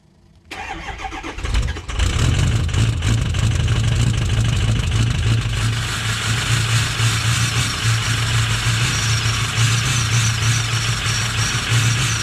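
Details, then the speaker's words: Ford 6.0 Powerstroke diesel, cold start: brief crank, quick catch, loud uneven lumpy idle with considerable smoke, apparent miss, ABS light but no check-engine light: rough running after cold start. "definitely sound a little rough just now starting to pick up hold starts are great definitely smoke so quite a bit"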